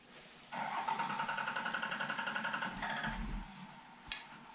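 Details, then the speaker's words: Diesel truck with waste vegetable oil dual-fuel system, running on diesel after bump start: lumpy uneven pulses about four a second, then stumbles and dies; air in the fuel lines. "There was just a bunch of air in the lines, and so when you first start those things up, they just sound like hell. I mean, they're not really hitting on all cylinders."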